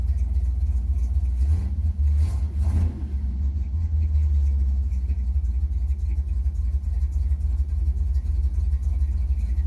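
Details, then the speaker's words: Chevy C10 small-block V8 (believed 283) on a new Maxpeedingrods Quadrajet carburetor, warm at operating temp with a 160 thermostat: low, steady idle rumble after a blip, idling lower in gear without dying; timing may need adjusting. Normal idle. "I really like the fact that I can idle this thing lower uh [Music] and uh not have it die while while it's in gear"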